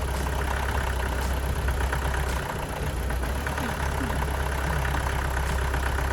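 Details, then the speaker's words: Astra van diesel after engine change (old engine's water pump leaked), new belt fitted: steady low idle, even beat, no knocks; runs sweet, though possibly a slight low-rev misfire, other injectors may be changed. "well that seems quite successful took a little bit of time to get the diesel to come through again that's to be expected after everything's been disconnected sounds like it runs quite sweet"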